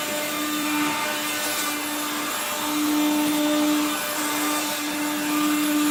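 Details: 1970s blue Regina Electrikbroom 3-speed vacuum vacuuming a floor: a steady motor whine with a rough, gritty grind underneath the whole time, from motor bearings gone dry after someone washed the motor and fan.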